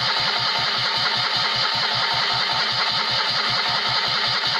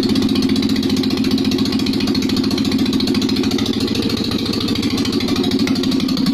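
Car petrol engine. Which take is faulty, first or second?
first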